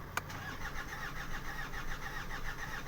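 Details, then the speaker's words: Hyundai Santa Fe that broke down on the freeway and won't restart, cranking after running a while; uneven, lopsided cranking around 105 beats a minute, sounds weird, no catch; suspected too much fuel in one cylinder, low crank sensor voltage; crank no-start. "And it sounds kind of weird too, doesn't it? Maybe it's got too much fuel in one cylinder."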